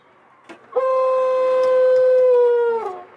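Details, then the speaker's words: 1989 Ford F-150 heater/climate-control blower motor on low, medium and high speeds, a loud steady howling squeal from dry blower motor bushings, before removing the motor for repair. "alright guys so today I'm gonna with Tim to fix the heater motor or the blower motor I should say for the climate control makes a squealing noise"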